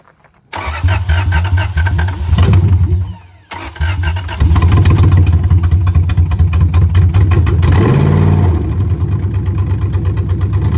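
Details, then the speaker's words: 2001 Lexus IS300 with 1UZ V8 swap, first start after final engine installation; cranks, catches, surges and stumbles to a ragged idle due to a vacuum leak and unplugged mass airflow sensor. "all right guys we had a vacuum leak and we didn't have a mass air flow hooked up so let's try that"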